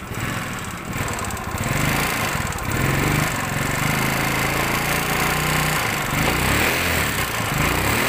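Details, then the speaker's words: Yamaha Mio Sporty scooter idling with a harsh, uneven clatter at about four beats per second. Suspected oil starvation, loose clutch or camshaft problem. Rough running engine. "Oke seperti yang kita dengarkan tadi bahwa suaranya sebegitu kasarnya kita mendengarkan secara awal ini sekilas kayak ada riwayat kehabisan oli bisa ada tanda-tanda di bagian kleb kendor bisa ada permasalahan di bagian kamprat bisa"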